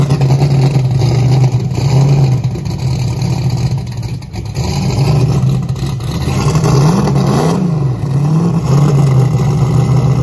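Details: Deep, lumpy engine fired up after sitting a while on a possibly weak battery, now with a Dominator fitted. Holds a fast idle with gentle throttle blips, pitch rising and falling smoothly. Runs clean and even.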